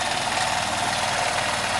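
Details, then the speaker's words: 2001 Honda CH80 scooter after tune-up with cleaned pilot and main jets (previously idled only with electric choke on): steady, even, fast light idle off the choke with no hunting or stumbling; normal idle. "this bike if there are no leaks vacuum leaks should idle like this all day long"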